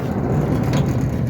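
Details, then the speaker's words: Centurion D5 Evo sliding gate motor that opens the gate by itself: steady, rough low buzz running without a break as the motor keeps activating repeatedly; gate wheel bearings already replaced and ground track welded; motor base found flexing. "You can hear it's buzzing the whole time because I just wanted to keep activating."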